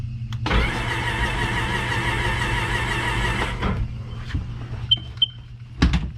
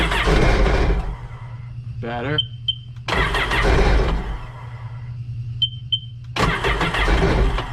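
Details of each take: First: Even, fast whirring crank for about three seconds with no catches or hesitation; the engine turns over freely and isn't seized. This 2006 supercharged Sea-Doo Sportster had sat about two years and was cranked in drown mode after being lubricated and left to soak about an hour, before the spark plugs went in. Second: Three cranking bursts with quiet gaps, never settling into a run. This is hard starting on stale fuel in a 2006 Sea-Doo Sportster that sat about two years; the old tank of gas is to be drained.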